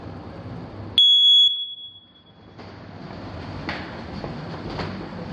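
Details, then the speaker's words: Smoke alarm in a bedroom during a home inspection: single sharp, high-pitched chirp of about half a second, then quiet room noise. Low-battery warning chirp. "according to the smoke alarm see that that's the chirp it's a low battery chirp"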